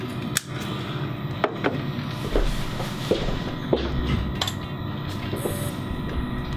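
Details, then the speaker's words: Western Digital WD5000AAKS (Tornado family) hard drive being tested for data recovery: sharp isolated clicks in a group of three with no steady spin-up following; indicates read head failure. "You see it did those three clicks. That's usually an indication of a head failure on the Western Digital of that vintage."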